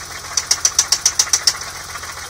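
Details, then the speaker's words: Stone-cold BMW E30 M20B25 just jump-started, idling: sharp light tick about eight per second, then stops; valves sound equally quiet, owner suspects a piston or bottom end, unconfirmed. "I don't know what that noise could be, but it sounds like it's coming from a piston, like, I don't know."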